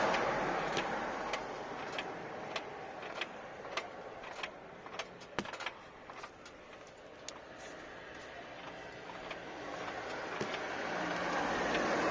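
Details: 2015 Nissan Tiida C13, car rocked back and forth in gear with the engine quiet: scattered sharp clunks and clicks from driveline slack; owner suspects the CV joint or gearbox, unconfirmed.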